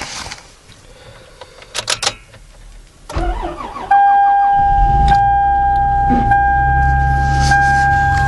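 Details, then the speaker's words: 2005 Toyota Sienna cold start after sitting outside for days at -1 to -28 (about -12 that night): brief crank, catches quickly and settles into a high, steady fast idle; healthy cold start. "it stops cool damn rpms are running at like 13 000 rpms and the freaking radio is gone holy [ __ ] it's cold"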